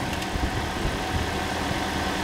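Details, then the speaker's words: Toyota Corolla engine, first start after work, already primed, before coolant filled and bled: steady, even idle with a smooth low hum and no knocks or misses; healthy idle. "That sounds gorgeous. Started nice and easy, it was already primed"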